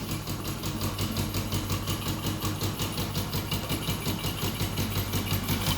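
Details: Newly bought Yamaha Jupiter MX (non-clutch) idling with a steady light knock, about three a second. Grey oil makes the owner suspect coolant in the oil. He says the clutch housing needs replacing over a "kelotok" knock, but the source is unclear.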